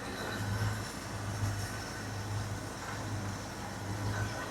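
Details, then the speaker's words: 1981 Jeep Wagoneer Limited, AMC 360 V8, revived after sitting 20+ years, fuel pump suspected bad: low, even rumble with a soft steady pulse, no misses or ticks; purrs despite vacuum leaks, which may already be fixed. Normal idle. "This thing just purrs like a kitten. It does. Even with all the vacuum leaks, we might have got the vacuum leaks figured out on this thing already."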